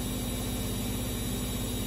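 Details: Siemens E14 3R washing machine after replacing the shock absorbers (part 673541) to cure banging: even low hum with a soft regular pulse and no banging or knocks; normal running after repair.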